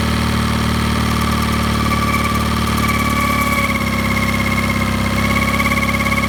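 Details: Mercury 9.9 Pro Kicker outboard at low rpm: steady hum with a clear mid-pitched tone over the low idle; owner suspects bearing noise, cause unconfirmed.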